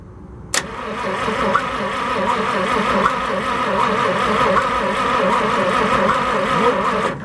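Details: 1963 International 549 engine, cranked on the front distributor after its points were filed: starter churns steadily for about seven seconds with even compression pulses, never fires; crank no-start, coil suspected next.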